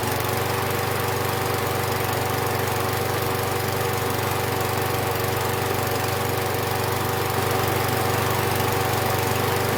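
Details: Husqvarna 6021P Kohler mower engine after the part under the idle adjustment screw was removed and the idle screw adjusted. Even, steady beat at about four pulses a second with no surging; the owner notes it may also just have warmed up.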